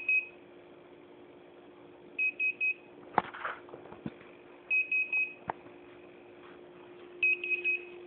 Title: Beeping noise, hitec A9